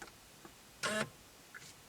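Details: 2003 Chevrolet Corvette Z06 (C5), steering column lock actuator cycled from the body control module output test on a Tech2 scan tool, key out: a single short electric whir with a click, clean and complete, nothing binding; normal actuation.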